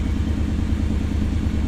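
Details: 1991 Pontiac Firebird Trans Am V8, after a new water pump and a replacement for the defective battery: deep, even, steady idle with no stumbles or dips. Charge holds with no stall or overheating; idling smoothly.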